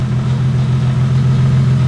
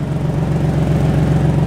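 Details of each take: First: Nissan Z turbo after new downpipe and exhaust install fixing a bad exhaust leak: steady deep drone from the exhaust that climbs as revs rise, no ticking or puffing; sealed, no exhaust leak, quieter on cold start. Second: Nissan Turbo Z idling with a fast, rhythmic puffing tick on the exhaust note from a very bad exhaust leak, heard on one side, before a downpipe/exhaust install; boost not hitting as it should.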